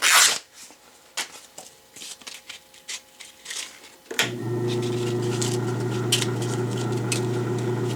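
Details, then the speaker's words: Belsaw lapping machine, after electrolysis rust removal, lapping with coarse Norton emery cloth: after handling, a steady low, strained motor hum; the small motor, meant only for light honing, is laboring under load. "Not a whole lot of power in this motor. You can hear it laboring, but then again it's meant just for a little honing."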